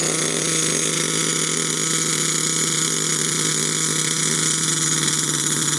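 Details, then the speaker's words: HPI Savage nitro RC monster truck: high, unsteady engine buzz at low throttle with a wavering note that won't settle; carburetor problem suspected, possibly a partly blocked jet, owner says not lean; clutch thought to grab, with a possibly weak clutch spring. "It's not happy on the low end. I think the carburetor's probably got a bit of an issue."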